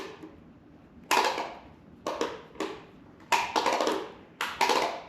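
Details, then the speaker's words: Rebuilt planer after link belts were refitted for counterclockwise motor rotation: sharp metallic scrapes at uneven intervals, about six in four seconds, as the cutterhead hits the chip breaker. "All it is the cutter head hitting this chip breaker. So I'm going to move the chip breaker back up."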